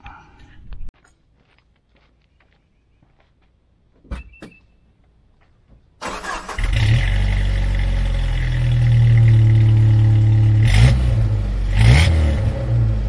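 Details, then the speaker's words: 1997 Jeep Wrangler after new 2.5-inch exhaust and muffler installed, one clamp fitted; engine catches and settles into steady deep low rumble with a couple of blips, no rattles; louder than the previous muffler, normal exhaust note. "driving this thing around i can tell you it's a little bit louder than it was with the other muffler i just took off it sounds good but it's a little bit louder when i was actually hoping it might be slightly quieter"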